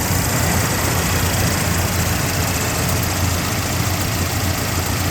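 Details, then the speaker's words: 1979 Jeep Cherokee Chief after frame-off restoration with rebuilt AMC 360 V8 and Holley 2300 EFI: starts right up into an even, deep, firm idle rumble with no misses, ticks or knocks. "Starts right up. Let you hear the engine. Runs very smooth."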